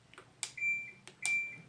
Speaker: now when you turn this washer and dryer set on you push the button and you have a wonderful little chime that comes on as you choose between the functions